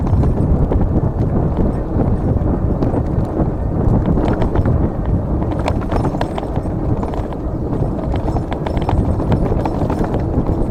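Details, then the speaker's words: GOGOBEST GF700 dual-motor electric mountain bike in mode 3 at 30 km/h off-road: constant irregular clacking over heavy rumbling as the mudguards slap against the tyres. "Alors ce qui claque, parce que vous entendez, c'est les garde-boue qui claquent sur les pneus. Alors on est en mode 3, 30 km/h, c'est assez violent."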